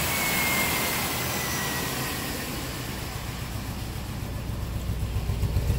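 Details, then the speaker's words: 1997 old-body-style work truck at idle, misfire with no codes: uneven lope with a missing beat every few pulses, plus strong fuel smell. Dead cylinder; the number two injector pulses but delivers no fuel and needs replacing. "we got a dead cylinder so let's take a look at it and see what we can find"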